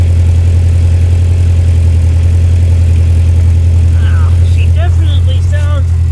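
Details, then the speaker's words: Toyota Previa after installing a new muffler (old pipes rusted through): deep, loud, raspy idle and rev, louder than wanted, with a small exhaust leak remaining where welding wire ran out. "still got a little leak still got a little leak up here where I ran out of weld so I'll have to get some more uh welding wire"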